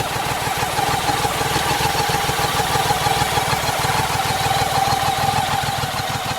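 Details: 1987 BMW K75, a 740cc three-cylinder, water-cooled, fuel-injected petrol engine: an even, steady idle with a regular low pulse and no knocks, holding smoothly in gear after a clutch cable replacement; the seized rear brake has been freed.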